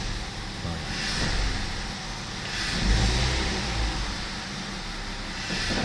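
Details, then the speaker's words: BMW 520i E60 2.2 M54: idle is stable, but throttle blips bog and sound muffled between 600 and 1100 rpm before picking up. Owner suspects the intake air control (ICV), an air leak or a sensor. Stored faults are stability control and climate only. "Portanto, parece que abafa. Pronto, parece que abafa. O relante até está estável, mas ao acelerar entre as 600 rotações e as 1100 parece que abafa, falha, abafa."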